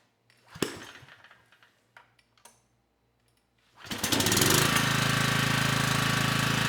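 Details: Generac 3500 W generator, GN220 engine, after replacing a broken carburetor jet and refilling fuel: a few clunks, then it starts right up with choke off and settles into a steady, even run up to speed, little smoke.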